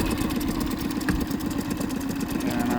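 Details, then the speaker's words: Boat outboard right after injector cleaning and replacement, fuel bulb primed and air bled: even, regular idle beat with steady low hum and no hesitation; fired right up easily. "But fired right up pretty easy."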